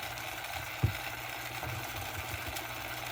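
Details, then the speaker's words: Cheap vehicle radio cassette deck, direction button not working: thin, fast whir with one sharp click as the tape runs far too fast. Owner suspects stuck buttons leave it stuck in rewind, possibly also upsetting the radio. "it's also running way too quickly oh it seems the buttons are stuck cuzz you're supposed to be able to fast forward and Rewind with that I think it's stuck in rewind essentially"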